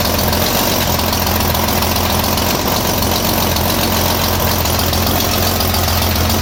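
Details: Rotary-valve BMW engine idling after a new timing chain replaced a stretched one that put valve timing 20-25 crank degrees off; the new timing is not yet verified. Steady, even idle with constant mechanical clatter and no stumbles.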